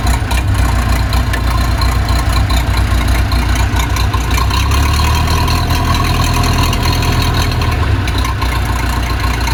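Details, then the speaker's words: Case 207D (450) dozer diesel after a year-long engine rebuild, reinstalled and reassembled, fitted with a muffler so much quieter: deep, steady idle, even low thrum, no knocking or misfire; runs smoothly. "put a muffler on it by the way so it's much quieter now"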